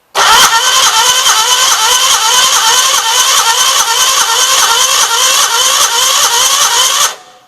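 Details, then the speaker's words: 1976 Gravely 816, first key crank after freeing a suspected stuck valve: starter spins it with an even, quick chuffing rhythm for about seven seconds but it never catches; owner fairly certain there is no spark. "Okay, so at least it turns over. I am fairly certain we don't have spark."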